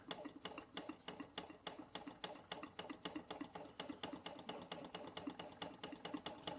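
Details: Bing 10/110 poppet valve toy steam engine on original spirit burners, below 1 bar (about 10 psi), maintenance run: light, regular, even ticking about 3.5 beats a second; water pump working as it should.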